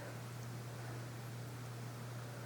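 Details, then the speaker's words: 1982 Casablanca Century 9000 ceiling fan, near-mint, knob turned up to medium speed: low steady hum with soft even whoosh, no ticks or wobble despite droopy blades; running smoothly. "I will turn the knob up a bit. It's a nice speed."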